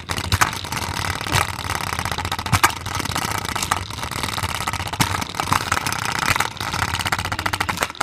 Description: Play-doh container is loud because it's shaking and the Play-doh is unbalanced.